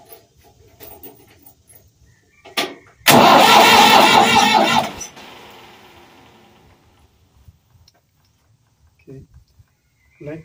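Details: Ford 4000 tractor after replacing the fuel injection pump inlet cover plate. About two seconds of loud, labored cranking cuts off without catching, from air still in the diesel fuel system. Fixed by bleeding the pump.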